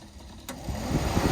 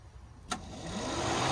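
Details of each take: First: LS-swapped El Camino overheating, fan wiring with melted plastic and loose terminal in connector: sharp click then fan whoosh spinning up from silence as plug is pressed; intermittent cooling fan from loose connector cutting power. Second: LS-swapped Chevrolet El Camino that was overheating, after repairing a melted, spread fan relay pigtail terminal temporarily secured with a zip tie: after a click, a whoosh builds within a second into a smooth, steady hum; radiator fan spinning up normally.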